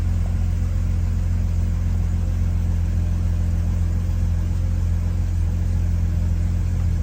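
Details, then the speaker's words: Classic Mercedes W114 petrol engine just started, steady deep idle with a misfire and a faint puffing pulse under the rumble from a slight exhaust leak. "There is misfire. And the exhaust is blowing a little bit."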